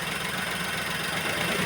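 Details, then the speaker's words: Maruti Wagon R K-series petrol engine with low pickup, low mileage and jerking on acceleration: uneven shaky lumpy running like one cylinder not firing when throttle is given; misfire. "അതായത് ഏതോ ഒരു cylinder work ചെയ്യാത്ത പോലുള്ള ഒരു feel ആണ് നമ്മൾ accelerator കൊടുക്കുമ്പോൾ കിട്ടുന്നത്"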